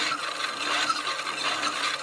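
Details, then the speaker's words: Carnival Record Player Model 111 toy mini record player (Carnival Toy company, Connecticut), rigged to external battery, playing badly scratched Cinderella record with rusted needle: constant rasping motor whir with irregular squeaks nearly drowning out the music. "So between the motor, the squeaking, you can barely hear it."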